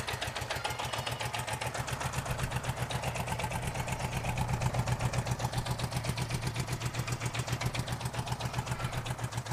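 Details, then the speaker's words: 1978 Honda GoldWing GL1000 idling on its own at its first start in years after long storage: steady ticking idle around four beats a second, slightly uneven, not clean; carbs likely need work, cause not confirmed. "lights working headlights on it's running it's idling on its own for the first time in years"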